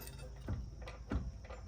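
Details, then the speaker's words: 2002 Ford F-350 with the front jacked up and a bar prying under the tire: dull, low clunks roughly every third of a second as the wheel shifts side to side, loose knocking play that points to worn ball joints. "And we're going to pull up on that bar and you guys will see that tire actually shift side to side and you'll hear it too."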